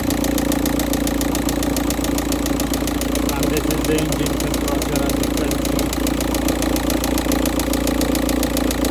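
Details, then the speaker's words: Volkswagen Touran 1.9 TDI diesel, cold morning start at 13.2° engine temperature, cold thick oil: sharp regular metallic knocking about three to four times a second, louder as oil warms; sump removed, third cylinder big-end bearing failed. "So as you may be able to hear the banging or knocking noise coming from the engine."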